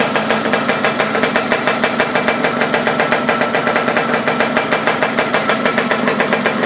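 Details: Laverda LB 125 with Zündapp KS 125 WC two-stroke engine, first starts after rebuild: crisp, rapid popping at a steady beat of about three per second. Ticking over fine.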